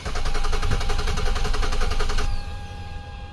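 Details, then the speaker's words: 2008 Nissan Quest 3.5L crank-no-start with codes U1000 and P0726, battery freshly charged; rhythmic cranking stops, leaving a steady, very loud high whine, suspected to be the fuel pump; fuel volume test planned. "that super super loud let's check fuel on this I'm going to get out my fuel volume tester and we'll check it cuz it's super loud"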